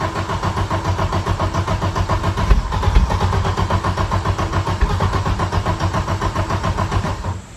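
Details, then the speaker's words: 1991 Audi 90 Quattro with big-turbo S2 engine: steady cranking about four turns a second for seven seconds, never firing; fuel pressure falls while cranking, cause unknown. "You're just losing fuel pressure. It just goes down."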